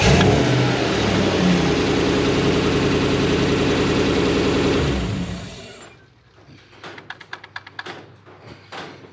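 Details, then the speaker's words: Toyota LN106 Hilux with 1UZ V8 swap and automatic, after resetting the idle stepper motor (bearings suspected, not working properly): smooth steady V8 idle, no stalling; idle now comes up properly. "now we've got a proper reset of that stipper and it's hiding much nicer the idles come up"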